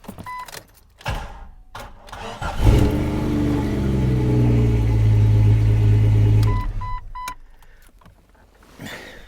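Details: Jeep XJ with a long-standing hard start when cold, started after sitting overnight following fuel pump assembly work and a new strainer. Short crank, fires at once and settles into a smooth, even idle; normal cold start.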